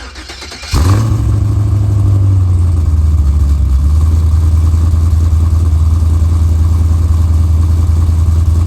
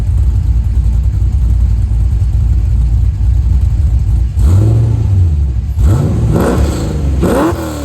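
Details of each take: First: C4 Corvette with LS swap LQ4 V8, 2.5-inch dual pipes into dual 3-inch and Flowmaster Flow FX mufflers, before Borla swap: deep, loud booming idle with heavy low drone; muffler setup too open. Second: 1989 C4 Corvette with an LQ4 LS swap and 2.5-inch dual pipes, after swapping 3-inch Flowmaster FlowFX mufflers for 2.25-inch Borlas: a deep, even idle rumble and clean rev blips; quieter, with no drone or rattle.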